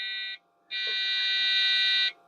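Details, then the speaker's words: Rescued Dell desktop (system three) with an AGP video card, thought to be a Rage 128 Pro, at power-on: one short beep, a pause, then one long beep, a POST error; owner suspects memory, not confirmed. "I would say no it almost sounds like it's complaining about memory"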